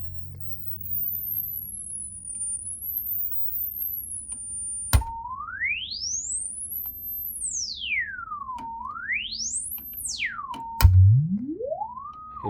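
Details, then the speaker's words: Klipsch RP-280F crossover filter alone (customer reported no treble), smartphone mic: clean tone sweeping low to very high and back, no dropouts; crossover transition correct, apparently at about 1500 Hz, treble signal present. "la transition en fréquence est tout à fait correcte. Et j'ai le signal dans les aigus. Donc la transition semble se faire à peu près à 1500 Hz."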